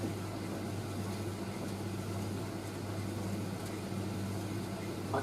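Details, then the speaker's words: Indesit IS31V 3kg compact reversing tumble dryer running its first load; low steady hum with soft even whir, no knocks or scraping; called the quietest dryer owned; normal running. "i'm just amazed at how unbelievably quiet this driver is it's the quietest dryer i've ever had"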